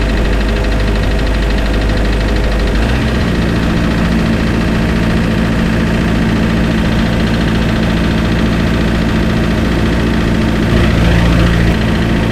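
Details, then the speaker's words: Spryte snowcat "Rusty" turbodiesel start after new OEM Zexel fuel injectors fitted and primed: catches after short crank, settles into steady even idle without misses or knocks; noticeably smoother, rock-solid idle. "Thing I notice is that he idles a lot smoother. When you come off of acceleration, he just idles nice and smooth. Rock solid. idle."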